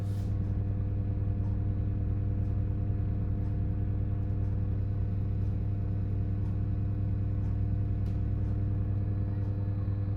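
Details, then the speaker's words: Bathroom ceiling fan, microphone held up near it: steady low motor hum with faint periodic blips; owner believes data bursts on mains supply, explicitly not fan blade imbalance, also seen on spectrum analyser. "if keeps doing it just does data burst bizarre really bizarre like I say it's not it's not something to do with the fan blade something going out of balance"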